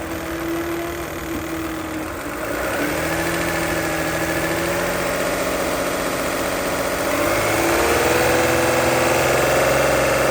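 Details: 2008 Toyota Highlander 3.5L V6 2GR-FE with a loud, fast, steady ticking at idle, about three to four ticks a second over the engine hum, occurring only once the engine is warmed up.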